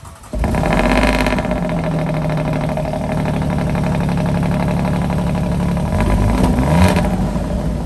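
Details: Alfa Romeo Giulia Quadrifoglio cold start before installing Ideal Race carbon fiber intake, switched into race mode: brief crank, loud steady high idle with a couple of clean blips; sounds healthy.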